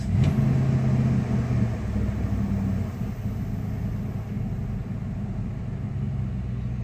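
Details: 1996 Dodge Ram 5.2 V8 after cleaning a very dirty throttle body and fitting a new IAC valve: revs ease down from a brief high idle, then hold a steady, even rumble without surging. Idle control works; the fix is judged a success. Normal idle.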